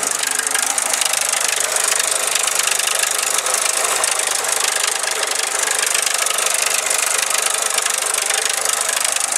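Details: Four-cylinder engine after timing chain and valve adjustment per the service manual: dense, fast metallic clatter about three or four ticks a second; compression now more even and exhaust note better, source of the horrific noise not yet found.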